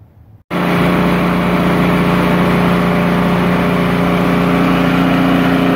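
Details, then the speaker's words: Poulan Pro snowblower that surged at idle, after tightening loose nuts between the carburetor and engine block: starts and settles into a steady, even idle with no surging. "so i tighten it up more than what it was and i'd test it a little bit it seemed to be running much more smoother i'll show it to you after i put it back together"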